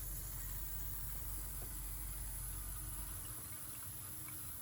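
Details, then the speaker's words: Lugger marine generator after impeller replacement: sea valve reopened and strainer lid cracked, quiet steady airy hiss over low rumble as trapped air escapes while the strainer refills, bled until water comes out before running. "Let's go turn our water back on. You can hear the air coming out of the top of"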